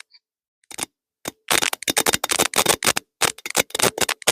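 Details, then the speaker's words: Ford 460 V8 that sat for decades, ignition check during first start attempt: sharp, crisp snapping cracks in quick irregular bursts, about three or four a second, showing a fat spark; strong ignition spark. "Hope you guys can hear that. But man, that's sparking good."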